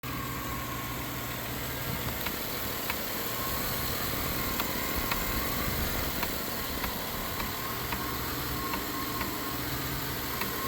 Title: chevy idle up and down, with ticking noise, reduce power engine, carb replaced, motor rebuilt.